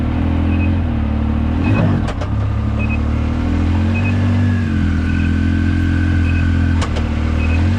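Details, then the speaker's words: 2019 Yamaha YXZ1000R SS, 5-speed sequential gearbox with clutch and paddle shifters, on a drive: engine drone with thin whine rising with road speed plus gear clunks on shifts; normal gearbox whine. "So let's take this thing for a quick spin, just so you can hear the gearbox whine and see how fun this is."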